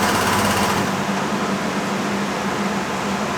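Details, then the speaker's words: Derbi Boulevard 150 (Piaggio Leader 150) scooter, rough purchase being rebuilt, run indoors after oil change and engine flush with new exhaust evacuation system: rapid, steady putter of four-stroke single with faint valve tick, even rhythm, healthy normal idle. "it's time to fire it up and uh let it run with a little bit with my new uh Evac system so I can keep the heat in here and uh see how she goes"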